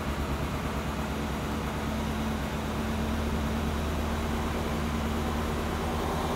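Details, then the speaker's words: Turbocharged A-Series engine in a Classic Mini on its first start, cold, choke in: even, slightly raised fast idle with a steady hum, no knocks or misfires; runs nicely once the choke is off and warm. "all right and there we go we've got an engine running so right now the choke is in so it's running a little high RPM"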